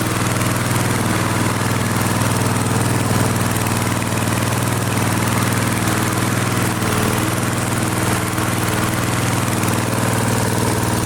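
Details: Flea-market lawn mower with Briggs & Stratton 5 HP engine, primed three times, half throttle: smooth even single-cylinder chug at constant speed, no misses or hunting; runs clean.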